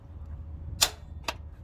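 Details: Toyota Land Cruiser Prado with 1KZ-TE Denso starter, on start attempt: two sharp clicks about half a second apart and no cranking. Faulty starter with worn solenoid contacts.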